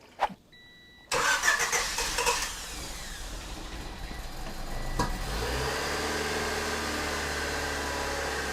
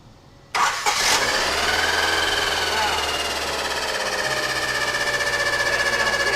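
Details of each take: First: Honda Civic EG sedan cranks, catches and settles into a smooth, even idle with no scraping or roar; sounds healthy. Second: Honda Civic EG sedan after a tune-up with new plugs, wires, distributor cap and rotor, rough-running: catches and settles into a slightly uneven idle with a steady high scraping whine, like something rubbing.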